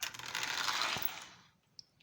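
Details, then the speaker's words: Repaired Marx Union Pacific E7 toy locomotive running at about five miles an hour: light, even electric whirr with faint prototypical gear-mesh noise, winding down smoothly; quiet engine running freely, normal running. "and that's just five miles an hour and it's really a quiet engine"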